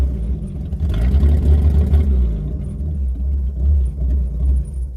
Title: Ford 300 inline 6 misfire